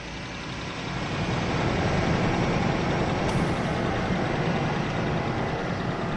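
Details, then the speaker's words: 2004 Ford F150 V8, 220,000 miles, 5W30 full synthetic, cold start after sitting two weeks: rough, uneven puffing and ticking under the idle rumble, about three a second; exhaust leaks expected to quiet as it warms. "Alright, so that's how it sounds cold. Definitely hear some exhaust leaks. Those should quiet down."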